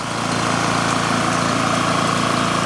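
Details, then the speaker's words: Generac GP 3250 generator after repair (new carb, gaskets, OHV gasket, fuel line, fuel shut-off valve, fuel system and tank cleaned, oil flushed three times); steady quiet note at constant speed under a big muffler, no surging, knocking or rattles, normal running. "good to go be good for that sounds good nice and quiet okay this one's actually pretty pretty quiet"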